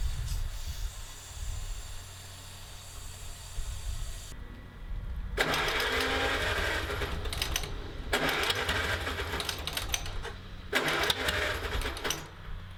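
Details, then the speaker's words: 1949 Allis Chalmers WD tractor revived with rusty cylinders and freshly lapped valves; stumbles unevenly with missed beats and sharp popping bursts every few seconds, like flame reaching the exhaust; misfiring and backfiring, owner suspects a valve hanging open. "I can hear it obviously it's missing but I can almost hear like a it almost sounds like a flame flame front is getting into the exhaust something weird I'm not quite sure what's going on"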